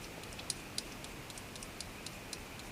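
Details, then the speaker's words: Sony CDP-295 CD player with Sony mechanism: faint irregular ticks over a steady whir as the laser sled steps outward toward later tracks and spin slows; normal playback. "this spin mode will have to run faster and as as we get read more of the disc and we get out to the later tracks it comes right out to the back here"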